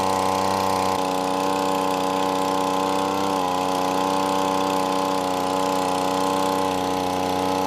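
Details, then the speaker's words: Five-dollar yard-sale gas leaf blower, said to smoke and previously wouldn't start, after carburetor adjustment a quarter turn clockwise: small two-stroke holds a steady buzz with slight speed wavering, running a bit choppy; cause not pinned down. "well I think that was it guys it still sounds a little running it sounds like it's running a little bit choppy there but I mean I could take this thing apart and clean it all up but for five bucks can't go wrong"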